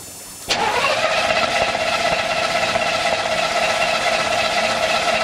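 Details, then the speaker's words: 1984 Chevy K10 Silverado starter whirs steadily at about four turns a second, engine never catches despite a new fuel filter; it runs briefly when gas is splashed in the carburetor, suggesting a fuel supply fault, not confirmed. "here well that didn't work I do know that when I Splash gas in the carburetor that it does fire off and runs actually pretty decent for a minute or two"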